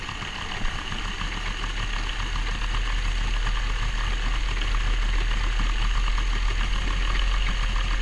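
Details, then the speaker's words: Carburetted boat motor started after 12 months sitting, with carbs kept primed and fresh fuel: steady low idle rumble that gradually picks up speed and smooths out as it warms, no knocks or misses; normal warm-up idle. "And we'll just let that run. You'll hear it speed up as it warms up."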